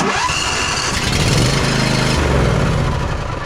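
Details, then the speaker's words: John Deere Z345E zero-turn with a Briggs & Stratton V-twin ReadyStart engine, cold: cranks with uneven chugging and catches only briefly before fading; the auto choke sits open when it should be closed. "What we're having an issue with here though is the auto choke. So this choke should be up in this position when it is cold. It is down in the bottom position instead."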